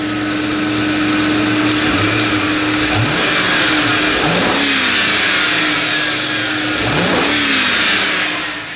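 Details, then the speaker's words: 2005 Ford 4.6/5.4/6.8 V8 at about 160,000 miles, after a tune-up with new spark plugs to cure a slight miss. Revved by pedal (fly-by-wire): crisp free revs falling cleanly back to an even idle, no stumble or misfire. "Sounds good to me. So this thing should run a whole lot better."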